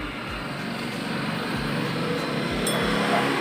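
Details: 2017 Honda Scoopy CVT with the block opened: a rough grinding rumble and dull thump about four times a second when the wheel turns. The gearbox ran smooth alone, and the noise returned with the rear pulley fitted, pointing to worn rear pulley bearings.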